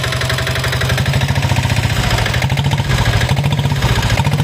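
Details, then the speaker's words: Royal Enfield Diesel Bullet 350 (Greaves/Lombardini single-cylinder diesel) at idle with a fast, even tak-tak knock keeping time with the engine; piston slap from worn piston or cylinder liner, engine being opened for rebuild. "ये जो sound आप सुन रहे हो टक टक टक टक टक आवाज ये है अपना पिस्टल लाइटिंग का आवाज है ये क्या है कि आपका जो पिस्टन है वो थोड़ा गिस चुका है या पिस्टन वल घिस चुका है उसकी वजह से यह साउंड आ रहा है"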